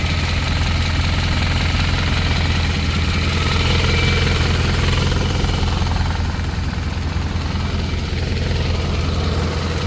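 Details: 1963 Chevy Impala small-block V8 being started during valve lash adjustment: a steady idle with a light, fast ticking over the rumble, from loose valve lash at the rockers; afterwards slightly quieter, with a leak elsewhere blamed for most of the noise.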